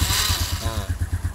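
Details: Honda Revo Absolute/Blade carburetor, starter wiring check with a turn-signal test lamp on a 12 V battery: short burst of steady, even starter whirr with a regular pulsing beat; starter circuit working.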